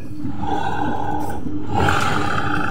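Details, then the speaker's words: Honda automatic scooter, rear CVT pulley bearing just replaced: a steady, even, smooth drive hum with no grinding or rasp. It is much quieter than the heavy rasping before the repair, and the CVT is running normally. "ya ini jelas terlihatnya Bro setelah kita ganti lahernya lebih halus Bro dari sebelumnya Bro dari sebelum diganti ngerosok banget"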